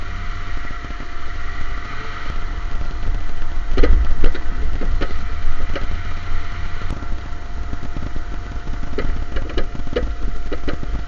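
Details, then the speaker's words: 2010 Ford F-150 4.6 on a test drive: sharp irregular clunks from the front end in bursts over bumps, above engine and road rumble; worn sway bar end links, being replaced. "i did take it out for a spin and here's what it looks like under there the noise it's making you can hear the noise and you can watch this thing kind of bounce around there and see what it's doing"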